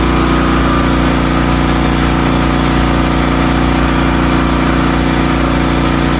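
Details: Hotsy steam pressure washer with 16 hp gas engine, bought non-running, after igniter wire/electrode repair with burner lit: steady mid-pitched drone, even pulse and constant pump hum; runs smoothly under load.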